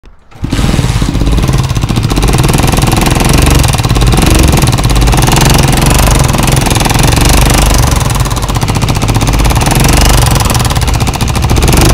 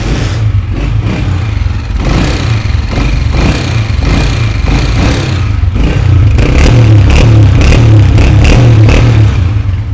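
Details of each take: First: Honda CG125 motorcycle engine making an alarming noise: a loud, rapid, hammering tap from the top end throughout the run. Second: Honda CG 125 after a low-budget engine noise repair with tappets set to 0.08 gauge: final sound test shows a steady single-cylinder beat rising cleanly with revs and no top-end tapping; normal running.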